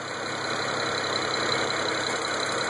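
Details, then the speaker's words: BMW N54 twin-turbo engine idling: fine, fast metallic clanking rattle over the hum from passenger-side turbo wastegate; noise stops when the wastegate vacuum canister is disconnected and returns when reconnected, also rattles on revs; turbo wastegate rattle. "You can actually hear him clanking right here."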